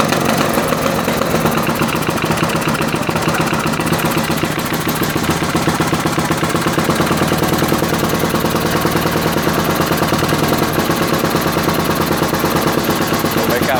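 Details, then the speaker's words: Freshly rebuilt ATV engine, first start with much larger jets fitted: loud, rough, uneven idle with ragged popping and heavy bangs, struggles to stay running, fuel from exhaust; running rich with backfiring. "Jännä, että se ei oikein tahdo pysyä käynnissä. Hirveä pauke vaan. Oho. Joo, se käy vähän paksulla."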